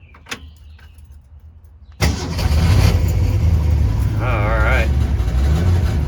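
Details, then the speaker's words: 1964½ Ford Mustang coupe, unrestored, possible fuel or water pump leak: quiet, then starter catches and the engine settles into a steady, even idle with no knocks or misses; normal cold start and idle. "But yeah let's see if we can uh it actually does start so let's let's kind of crank it up."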